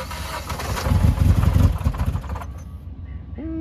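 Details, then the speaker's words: Mitsubishi Evolution X bought from salvage auction, listed as not running: cranking with coils unplugged gives an uneven, slightly clunky beat, not typical rod knock; engine blown up, damaged piston leaving a cylinder with no compression. "sounds like it might be an issue so it sounded a little clunky just a little bit clunky I don't know though that doesn't like sound like super rod knock"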